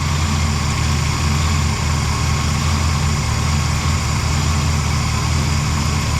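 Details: Rebuilt 460 V8 in a 1975 Lincoln Continental, restarted after sitting a couple of weeks during misfire diagnosis with valve cover refitted: deep, even burble at idle with steady rhythm and no skipping; all cylinders firing cleanly.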